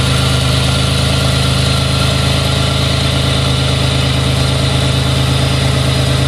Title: Buick regal gse slightly warm misfire video..